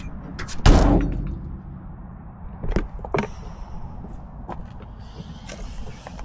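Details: 1966 Ford F100 truck: one solid, deep thud as the door shuts and latches cleanly, then quieter knocks; the old steel door still works well.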